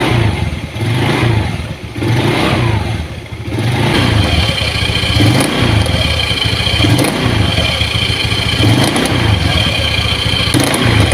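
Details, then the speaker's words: Honda Beat carburetor scooter: engine revs in surges with irregular knocking clatter on each throttle blip from the CVT; the CVT bearing in the CVT case is exposed on disassembly. "Oke jadi seperti itu ya teman-teman suaranya ke melotok ya saat posisi gigas"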